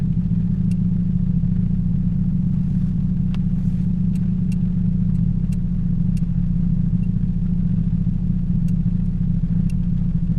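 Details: 2007 Toyota Yaris 1.5L 1NZ-FE after replacing all four spark plugs and ignition coils for cylinder 3 misfire: steady even low idle rumble, no stumble; runs smoothly on all cylinders.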